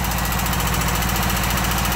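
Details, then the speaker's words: John Deere Sabre riding mower engine at idle. Fast, steady valve-lifter ticking over an even idle, unchanged after about 5 minutes of running. An oil change or more run hours is suggested as a possible fix. "And see if I can get this lifter tick to go away."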